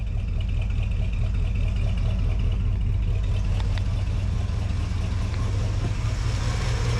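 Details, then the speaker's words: 1980 Ford Bronco after 8 years sitting, new fuel tank, in cold weather: low, even rumble at steady idle with no misses, ticks or hunting; power steering fluid empty. "Man, that thing sounds good. It does. It sounds really, really good."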